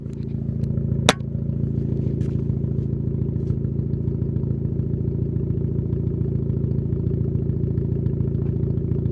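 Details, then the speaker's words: Turbo project car with antilag tune, running thin oil: fast, even ticking clatter, roughly two per second, over a steady idle; owner thinks it may just be an exhaust leak, unconfirmed, and plans to try thicker oil. "Yeah. I think that might just be the exhaust leak though."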